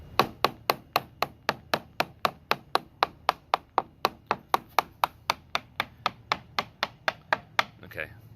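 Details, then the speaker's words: Tapping the top side of a rotten fiberglass boat hatch lid: even taps about four a second give a dull dead thud instead of a crisp ping, because the wood core under the fiberglass is rotten and delaminated. "this is the bed you hear it kind of like the the kind of like a sharp pinging sound or it's a like more of a dull thumping sound"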